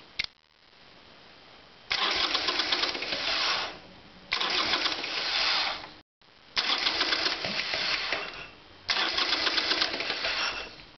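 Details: Harley Sportster twin, carburetor cleaned, during spark plug tests on front cylinder suspected misfiring/non-sparking: four cranking bursts of about two seconds, engine turns over evenly but never catches; cranks but won't fire.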